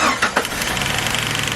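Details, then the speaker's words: Jeep WJ Grand Cherokee 4.0 after camshaft position sensor replacement, on its first start: a quick, even tick over a slightly rough idle. A spark plug lead was left unconnected. Ticking from a disconnected plug lead. "johnson didn't connect with spark plugs that's why he's making a picking noise"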